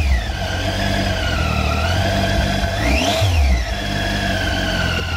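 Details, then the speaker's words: Clear whine rising and falling in pitch with motorcycle engine revs; balancer gear whine follows rpm and does not change with load, in neutral or riding with a passenger. Normal balancer gear whine, not a fault. "o som das engrenagens do balanceiro acompanha a rotação do motor e não muda sua intensidade com a carga da moto seja acelerando em neutro ou pilotando na rua com garupa o som emitido é o mesmo"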